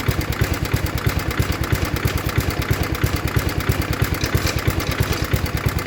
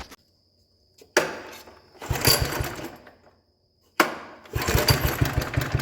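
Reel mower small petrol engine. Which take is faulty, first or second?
second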